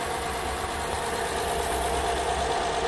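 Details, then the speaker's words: 2014 Honda Odyssey 3.5, 83,000 miles, cold start after sitting overnight, uneven stumbling idle pulsing about three times a second, engine shaking; P0303 cylinder 3 misfire, ultimately traced to oil fouling. "yeah it's misfiring that's for sure but it's nice and cold now so i don't really have to worry about"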